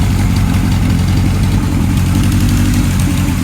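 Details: 1978 Kawasaki KZ1000 LTD rescue project, four-cylinder with new rings breaking in, after wiring work: a loud, steady, even burble with no misses or knocks; idling smoothly.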